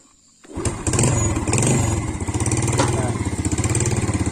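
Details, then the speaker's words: Yamaha Vega motorbike brought in for wet spark plug, frequent stalling and slight smoke, after idle adjustment: quick start, soft even exhaust pulse at idle, steady rhythm, no rattles; normal start and idle. "lembut ya suara Jupiter banget suara knalpot nya itu loh empuk suaranya ya"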